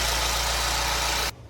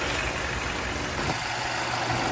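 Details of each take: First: Mercedes-Benz GLA 250 idling: harsh, clattery hiss over a low hum. The engine is low on oil and 2,000 miles overdue for an oil change, with a massive oil leak from the back of the engine. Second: Mercedes-Benz GLA 250 petrol engine idling after the oil filter housing was reinstalled, having run low on oil: smooth, even idle with no knocking, ticking or whining.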